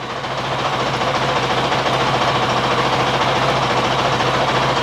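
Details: 2023 Honda CRF450X with original thermostat setup, after a 5-minute idle warm-up, still under half operating temperature: steady, regular single-cylinder thumping, no misfires or mechanical rattles; normal healthy idle.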